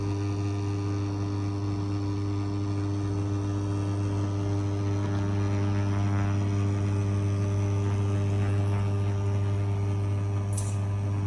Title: Induction Bosch - strange noise